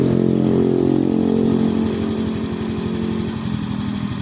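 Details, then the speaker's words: Yamaha Fino 125 injected scooter after repair of low-rpm stutter and mid-to-high rpm power loss: smooth, very stable idle without hunting, injector pulse duration now 2–2.5 ms, matching original data; normal idle. "Ini bisa dibandingkan dengan data yang originalnya, yang benar-benar original. Ini ya oleh basa Jawane nggak geseh bro ya, sangat stabil."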